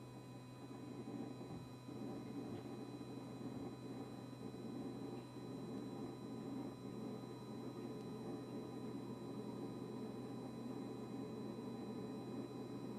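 A steady low hum with a fixed buzzing tone that never lets up; the fridge compressor is droning constantly, cause unclear.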